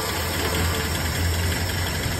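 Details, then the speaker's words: 1968 Dodge Charger stored in a garage since a 1994 rear-end crash, first start in 28 years: it fires quickly and settles into a steady, even low rumble with no knocks or misses, though it smokes. A healthy start after long storage. "oh that was fast that's a good sign dude that's way less rap poop than i expected too all right she's a smoker"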